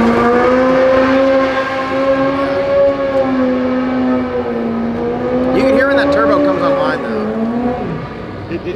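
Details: Turbocharged Corvette Z06 V8 of about 2000hp on alcohol fuel, first passes at the track with boost safety set: a deep pull with a rising whistle as boost builds. Normal turbo spool-up.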